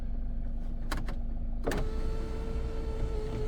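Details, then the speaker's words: 2014 Volkswagen Passat sunroof: after a couple of clicks, a smooth, steady electric motor whir of even pitch with no grinding; the sunroof works normally. "And a sunroof works. So, I don't want a sunroof open because it's raining. Alright, sunroof works."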